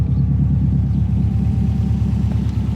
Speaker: Sounding pretty sweet. Bit of steam coming off the front end.